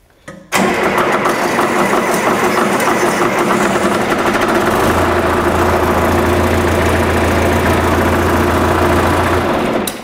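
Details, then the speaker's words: John Deere 2440 diesel tractor start before injector replacement: long crank before catching, then rough loud run, smokes heavily and wet stacks; fuel system/pencil injectors suspected worn, hard starting. "so you could see how long it took it had to roll over a little bit until it started and then once it did start it smoked like crazy"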